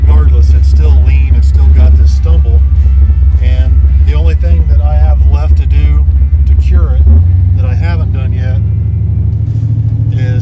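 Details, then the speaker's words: Chevrolet Malibu V8 with 4.10 gears: brought to ~1800 rpm on foot brake and throttle mashed; rumble sags and hesitates then pulls; off-idle carburetor stumble, owner suspects accelerator pump squirter/pump cam. "i'm gonna bring it out to about 1800 foot break it and mash it see if it dies it's got that terrible stumble to it hopefully you guys can hear that dead spot carburetor"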